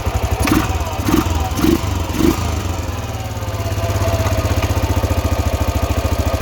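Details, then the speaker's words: 2000 Arctic Cat 500 4x4 ATV, Suzuki 500cc single with a used replacement crank, idling in neutral with the transmission broken; after a few throttle blips it settles into a steady, even thump with no bottom-end knock; bottom end healthy. "Run's fantastic so bottom end complete transmission broken"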